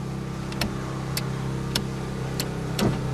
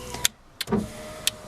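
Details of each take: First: VX Commodore power window switch, engine idling: five sharp switch clicks with no window motor running, window goes down fine but intermittently won't go up, then works; faulty dirty switch to be dismantled and repaired. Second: VX Commodore driver's power window after cleaning and reassembling the intermittent switch: sharp switch clicks, then a steady motor whir as the window runs straight down and up, slow but not a switch fault; normal operation.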